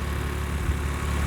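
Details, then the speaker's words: Automatic with 1J turbo six, fairly stock with a possible old boost controller; steady even low idle rumble, no knocks, misses or whines. Seems healthy, solid engine; normal idle. "I mean, it seems healthy. And I mean these engines are pretty solid anyway"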